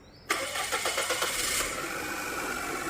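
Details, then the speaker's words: Car towed in as a no-start, after replacing the failed starter and the water-damaged starter relay: quick crank catches almost at once and settles into a smooth, even idle; normal start. "Pop po dah siap. Okey dah siap dah boleh hidup dah."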